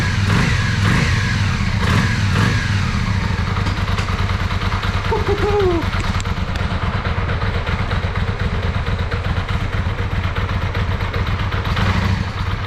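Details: Yamaha Virago 535 V-twin after carburetor rebuild, bigger jets, gas-leak fix and battery charge, previously running on one cylinder; steady even firm low thump, no misfire or stumble, both cylinders pulling, better throttle response: normal running.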